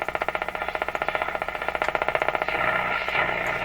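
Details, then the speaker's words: Canadian General Electric C701 console tube radio after tube testing and bench alignment: sharp regular ticks about 2.5 per second over the hiss, external interference thought to travel through the house wiring, hard to locate; external radio interference ticking. "i think the reason is often these interferences in our house are traveling around in the house wiring system and that pretty much makes it impossible to try to to to locate it so that's what that is that's external interference"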